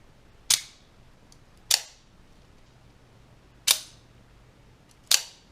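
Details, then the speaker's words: Double-spring OTF knife being deployed: four sharp snaps with a short metallic ring after each, a terrible springy twang from the two blade springs rubbing together. "so hopefully you heard that uh it's it's a terrible noise it's not something you want to hear in your knife whether it's a 30 knife or a 160 plus dollar knife"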